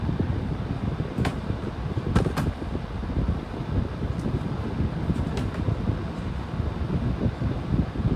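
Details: 11-inch Hampton Bay table fan at lower speed: steady low whooshing rumble with a few faint clicks, sounding restricted; owner suspects the same problem as a previous unit or that it is just the heavy airflow.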